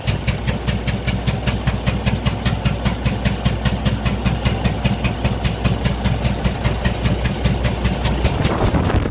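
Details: Cummins ISX15 diesel at idle with a heavy, lumpy pulse of about two to three beats a second, from a cylinder misfiring due to a massive compression leak after engine failure.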